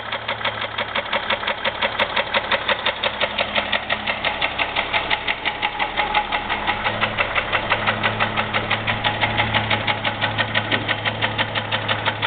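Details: 2001 Jeep Grand Cherokee 4.0, oil changed regularly, noise began suddenly: sharp regular knocking about three per second over a steady idle. Owner unsure whether piston slap or rod knock, oil pan not yet pulled.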